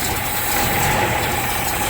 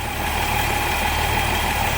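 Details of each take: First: Toyota FJ40 Land Cruiser carbureted engine, sat for a while, just started cold: steady raised fast idle with no hunting, because the choke linkage is stuck on; it idles normally once the choke is off. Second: Toyota FJ40 Land Cruiser, sat for a while, just restarted: carbureted six at steady, even idle with choke off, no stumble or miss; sounds good.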